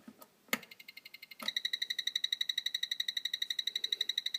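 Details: DX4e RC transmitter switched off emits fast, steady high buzzy electronic chirps that won't stop; batteries pulled over fire-hazard worry.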